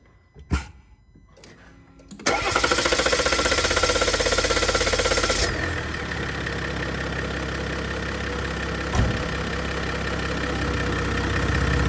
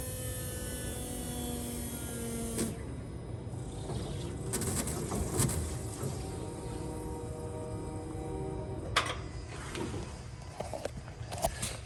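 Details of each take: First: 2021 Jeep Gladiator 3.0 EcoDiesel on its first startup after a 5000-mile fuel filter change and repeated priming: it cranks and catches into a loud, uneven shuddering idle that eases off as the high-pressure pump purges air from the fuel system. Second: 2021 Jeep Gladiator 3.0 EcoDiesel at 5,000 miles, priming after fuel filter change, key on: steady electric hum with faint whine for about two and a half seconds, then cuts off; normal fuel pump priming.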